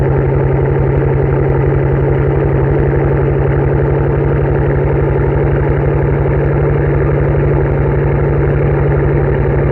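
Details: 2007 Mercedes-Benz S65 AMG V12 cold start after sitting about two weeks, mic about 3 feet from rear bumper: deep steady exhaust drone at cold idle with irregular stumbling pulse; misfiring, cause unconfirmed.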